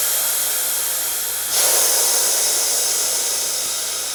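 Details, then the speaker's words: Salvaged DeVilbiss iFill oxygen pressure booster on low shop-air supply: steady hiss with sharper exhaust gush as it cycles normally past 100 bar on the high-pressure side, stopped there to protect the pressure gauge. "Yep, easy, more than 100. I don't want to give it too much because I fear I could damage the manometer here, the pressure gauge."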